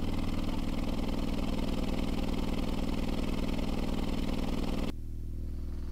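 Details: 18-inch Skar SDR 18 dual 4-ohm subwoofer wired to 2 ohms, on about 650 W from a Power Acoustik amp, in a free-air test on the ground. After clearing sawdust and a suspected connection problem, it plays deep, even bass with no popping or dropouts.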